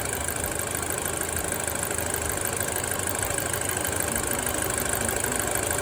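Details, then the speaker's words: Audi A4 B7 fully hot, oil pressure jumping between about 12 and 20 psi, owner suspects a clog: a busy diesel-like clatter at about three beats a second with the engine shaking; owner says it always idled this way. "And not only that, I mean, the engine's shaking a little bit. Sounds like it's running like a diesel sort of."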